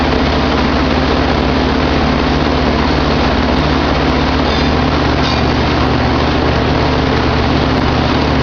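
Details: Goodman packaged heat pump running in cooling mode, camera on top of unit, thermostat set from 81 to 79: loud, even drone with steady low hum and fan rush, no knocks or rattles; running normally.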